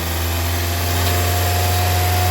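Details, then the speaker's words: Honda Civic 1.7 VTEC after solenoid rebuild, engine revved and solenoid energized manually: steady raised hum with a changing idle note on engagement, no stumble; VTEC solenoid working. "perfect you here the changeing idle you can tell that I'm energizing it"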